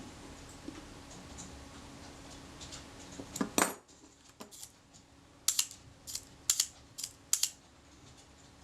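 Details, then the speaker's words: Roughly 85-year-old Kodak Retina II type 122 35mm camera during servicing, leaf shutter reassembled and fired on B (about one second) and other speeds. Crisp single clicks, clean and snappy with no drag or stutter; the shutter sounds good. "let's try the shutter on b that was one second and that sounded pretty good"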